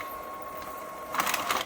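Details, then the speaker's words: HP 6520 printer after the black-ink repair, starting a print quality report: steady mechanical whir, then a quick run of clicks and carriage buzzes as printing begins; sounds normal. "Well, that sounds good. That sounds good."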